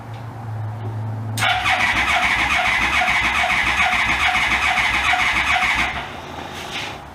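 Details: Yamaha Royal Star Venture after a carburetor rebuild and reassembly, first start with choke out, apparently in neutral: a brief crank, then it catches cleanly into a steady, even run for about four seconds. A healthy start.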